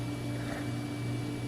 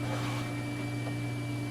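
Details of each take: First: Old computer from a failing digital picture frame, recorded during Windows XP service pack installation: steady fan hum with a faint rough rattle that just started. Hard drive ruled out; the non-removable power supply fan is rattling, cause unknown. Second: Digital picture frame computer, power supply fan after an hour running, acclimated to the house: steady low hum with faint even whir, no rattle or ticking; earlier fan noise gone, normal.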